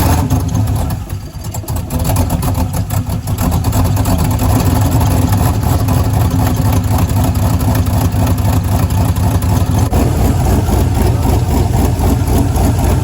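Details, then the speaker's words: 2001 Camaro SS turbo build, LQ4 6.0 V8, no thermostat fitted, restarted next morning after fixing cylinder 7 spark issue: rough loud idle with dull knock about twice a second; still knocking, cause unconfirmed. "the motor is still knocking even after fixing the spark issue on cylinder number seven"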